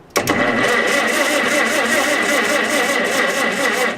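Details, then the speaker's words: Revived Farmall H cranking after the ignition was sanded: a steady, even chug for about four seconds, but it never fires. Cranks without starting because no spark reaches the plugs. "nothing i'm looking at these wires here i'm saying no those are fine"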